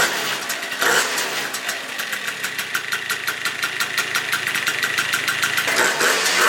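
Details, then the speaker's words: Yamaha Vino scooter after 70cc big bore kit build with PWK CP19 carb, Malossi variator, clutch and 1500 spring, on stand: crisp, busy two-stroke idle, quick steady pop about three beats a second; normal idle. "Motor is complete. And this thing runs like a dream now."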